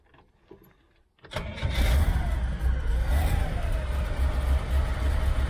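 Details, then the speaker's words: 1972 Chevy Nova V8 with a battery and temporary gas tank hooked up, after being driven off the trailer; a quiet second, then the starter catches and it fires right up into a strong, even rumble: normal start and idle. "okay guys she started right up and uh pulled it off the trailer"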